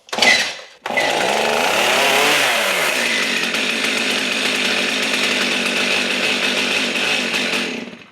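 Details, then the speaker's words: Stihl MS 271 chainsaw that won't start: each pull gives a rising-falling squealing whir over the rattle and it never fires; it was hard to pull, now pulls easier. Squeal suspected to be the clutch, not confirmed; turned out to be a simple repair. "It's making a squealing noise. So, that squealing noise has got to be the clutch."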